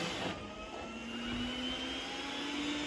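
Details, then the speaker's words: iRobot Roomba S9+ after software update 3.12.8, moving onto carpet: fan tone climbs gradually in pitch as suction increases; carpet boost working normally. "you can see it increased suction on the carpet because of right now this mine seems totally fine but obviously we'll let this run and see how well it does"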